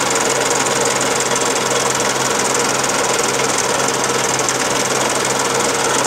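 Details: Daihatsu Charade '85 engine running steadily with a fast rattling tick, roughly three per second, riding over the run; abnormal engine knock, cause unknown.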